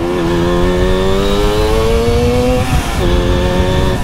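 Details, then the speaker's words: Suzuki GT185 two-stroke, engine recently repaired with no leaks, on a test ride: crisp note climbs through a gear, dips at the shift and pulls cleanly again under load; engine healthy. "nggak ada yang bocor kemarin udah dibenerin semua sama Aji mesin benar-benar sehat"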